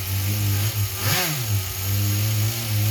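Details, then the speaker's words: Small RC nitro engine with a single needle carb, just retuned: steady, high buzzing idle with one brief blip that settles straight back, now idling evenly, where moments earlier it sounded crazy. "sounds like we got a decent idle going now it sounded crazy a second ago"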